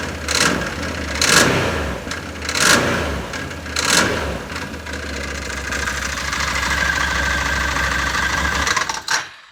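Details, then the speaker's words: Can-Am Maverick 1000 on wheel chocks with the seat out, throttle pressed lightly by hand: irregular light chatter from the bottom end that persists when throttle is blipped. Owner suspects a bottom-end problem, cause not yet confirmed. "But you can hear it making noise. It's making like a chatter noise."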